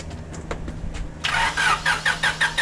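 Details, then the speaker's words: 1996 Honda Civic coupe sitting untouched for 8 years, on a jump box, cranked after fuel priming: starter spins at about four beats a second but the engine never catches. Crank-no-start, possibly lacking fuel pressure. "All right. So we got some turnage. So let's prime it a couple more times."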